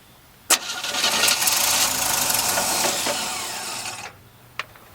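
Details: 1968 Chevy after fixing the Holley carb and replacing the fuel pump and a split, air-sucking fuel line: a sharp catch, then about 3.5 seconds of fast, rough turning before it drops off; cranking and catching.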